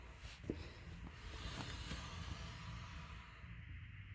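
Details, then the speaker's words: Blue Bird bus front wheel, jacked up and spun by foot, coasts with a low rough rumble and stops quickly: dragging wheel bearing, killed by residual flood water in the hub. "and it still turns decently freely but it stops it's dragging you can hear the bearing dragging"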